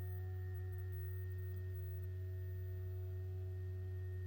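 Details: Two GoodWe Lynx Home D 5.0 batteries (10 kWh) in a basement charging or discharging, even at 1.5 kW: ventilation fans make a steady deep droning hum with thin whistling tones, 43–45.5 dBA versus 35 dBA datasheet spec.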